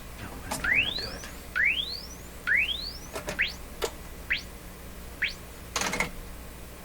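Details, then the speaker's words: RCA Victor 67V1 console radio audio stage on a dim-bulb tester: rising tone sweeps about once a second, climbing high smoothly without crackle or dropouts; good frequency response. "simon's pretty good for a radio like this and a great big speaker like that that's going to sound great i'm pretty sure"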